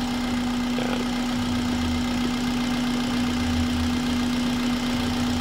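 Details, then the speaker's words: 2006 Toyota Corolla Altis petrol after repair of unstable rpm, rough idle and stalling that began after a starter job: steady, even hum with no shaking or surging; normal smooth idle. "Yan normal na yung andar niya. Hindi na siya nanginginig. Smooth na. Oo, smooth na siya."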